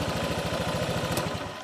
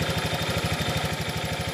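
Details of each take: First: Honda Vario fuel-injected scooter that was stalling while riding, now with no shock when touched: regular, steady firing pulses at a brisk idle with no misses or stumbles; engine runs cleanly. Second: Honda Vario fuel-injected scooter that often stalls while riding: uneven, loping putter at about three beats a second that fades out as ignition drops through a faulty, leaking spark plug cap.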